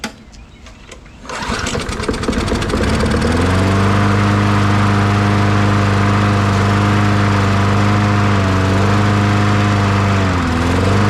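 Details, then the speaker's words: 2002 Murray 20-inch bagger/mulcher with 4 HP Briggs & Stratton, unknown condition, first start after fueling and priming: a steady, even small-engine drone with no misses or knocks; primer diaphragm working, runs normally. "not bad first pull and that pump, that diaphragm is working pretty good. It stayed running anyway, I guess I should say."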